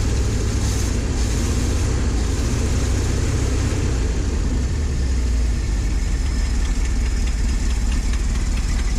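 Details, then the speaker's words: Ford F700 salt spreader truck, after freeing stuck valves, replacing bent pushrods, a carburetor rebuild and new plugs and wires: a steady, deep idle with a raw puffing rasp under it from an exhaust leak. "seems to be idling all right kind of deceiving with that exhaust leak"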